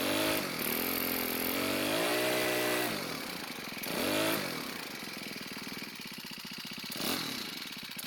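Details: Cub Cadet four-stroke trimmer, partly warmed, idle speed raised: revs up and sags unevenly, then fades and falters. Running lean; fix is turning the hidden carb screw half a turn counterclockwise to add fuel.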